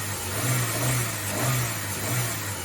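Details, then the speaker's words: Ford Bantam Rocam after spark plug replacement, HT leads checked: engine rises and falls smoothly through several revs with even firing and no misses or stutters; a faint whine from the worn power steering pump bearings may be audible. "Couple of revs. Yeah, everything sounds good."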